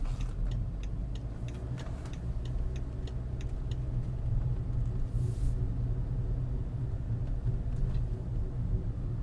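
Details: BMW E61 530xd LCI under light throttle: low droning hum with a slow throb over road rumble, vanishing immediately off throttle; owner suspects gearbox, source unconfirmed.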